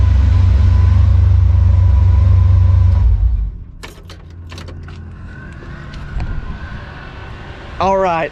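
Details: Freshly rebuilt "Maliboom" V8 on its first fire, running with the mufflers on: a deep, even idle for about three seconds, then it shuts off cleanly, with no knock or miss. Normal idle.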